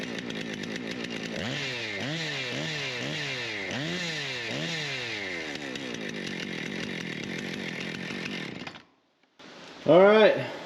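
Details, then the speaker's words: Husqvarna 455 Rancher chainsaw after bar oil leak repair and a new primer bulb: crisp throttle blips climbing and dropping about half a dozen times, each settling cleanly to idle; it started easier than before and the oiler works. "looks like we're going pretty good Oiler working the uh saw fired up a lot easier than it had been so we'll be ready to go"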